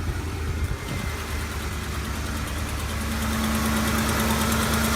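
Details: 2008 Ford F-150 5.4L 3-valve, rough idle despite new VCT solenoids, plugs and coils: uneven stumbling idle with a recurring hollow skip from a dead cylinder; misfire.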